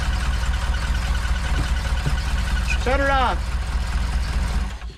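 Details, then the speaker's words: Saab Sonett III, first run after reinstall with the distributor turned 180 degrees: a low, uneven idle that stumbles and misses; one spark plug lead was left disconnected, so a cylinder is dead. "guess i was 180 off no it's missing i only plug up plug all the plugs in"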